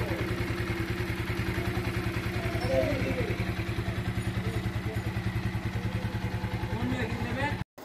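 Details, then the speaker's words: TVS Apache RTR 4V motorcycle after an original timing chain was fitted and the rockers adjusted: steady, even idle thump about three and a half beats a second, no ticking or rattle; normal idle. "তো দেখুন বাইকটির sound একদম অরিজিনালের মতো হয়ে গেছে, কোনো প্রকার কোনো বাজে কোনো নয়েজ নাই।"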